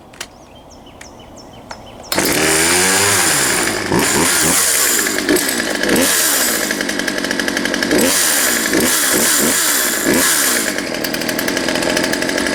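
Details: Poulan Pro 222 38cc chainsaw outside after correcting misrouted fuel lines and adjusting the push rod: fires and runs crisply, revving up and down cleanly; oiling well, ready to return; normal running.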